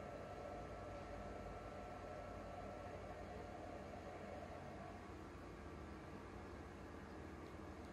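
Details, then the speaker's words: Used PS4 Pro with no disc inserted, before cleaning and thermal paste replacement: a steady, rushing jet-like roar with no knocking or ticking, the cooling fan (plus some hard drive) running far too loud. Cause suspected, not confirmed. "Loud. There's no disc in there. It's just the fan, I guess. A little bit of the hard drive. Way too loud."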